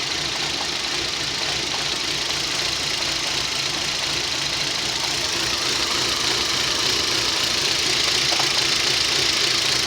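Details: Rover 25 1.4, warm start: uneven fluttering rough idle with stumbles, worse on starts; first suspected fuel pump or coils/leads, traced to a faulty lambda (O2) sensor, improved by unplugging it and fixed by a replacement sensor.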